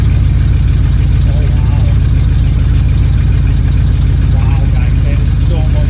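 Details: 1979 Corvette C3 V8 just after a Holley Street Demon 625 CFM carburetor replaced an Edelbrock 600, first start after priming, with a known exhaust leak at the manifold-to-side-pipe joint: strong, even low rumble with a steady lopey idle, no misses or knocks; normal idle.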